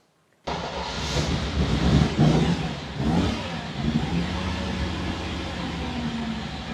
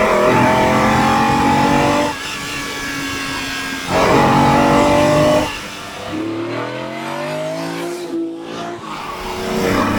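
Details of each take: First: Ferrari 365 GTB/4 Daytona Spider, classic V12, started up on all 12 cylinders: it fires, flares, then settles into an uneven, lumpy idle with a stumbling exhaust beat. The misfire is felt through the exhaust, and exhaust temperatures differ widely between cylinders. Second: Ferrari 365GTB/4 Daytona Spider V12 on a road test after being fixed, pulling hard under acceleration; strong, even note climbing cleanly between shifts with no missing beats, so all cylinders are firing. Normal acceleration.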